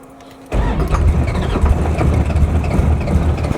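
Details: Cody Smith Motorsports Oldsmobile Cutlass race car on a Holley Terminator setup, running a fresh tune file: quiet, then it catches at once and settles into a strong, steady lumpy idle with no stumbling, sounding much better.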